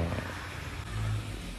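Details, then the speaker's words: Tata Manza driving at about 60 km/h: deep, steady droning, grinding growl under the road noise, customer complained of humming; worn left rear wheel bearing. "അപ്പൊ sound ഇതാണ് sound നല്ല നല്ലോണം അരയുന്ന sound ആണ് വരുന്നത്"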